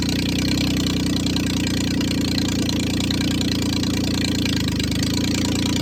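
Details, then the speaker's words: 1996 Geo Metro three-cylinder 5-speed, first start after purging air from fuel line: uneven, stumbling idle with open exhaust bark, won't idle off the throttle; owner suspects missing idle air control parts. "doesn't really want to idle. If you take your foot completely off the gas, it runs pretty bad."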